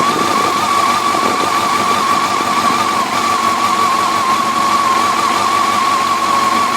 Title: 2004 FJR1300 - Ticking noise